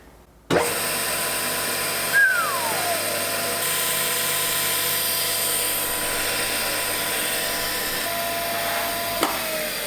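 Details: Wadkin LK pillar drill, temporarily wired to a 10 A socket: motor clicks on and settles into a steady, fairly high whine with no knocks or grinding; running normally.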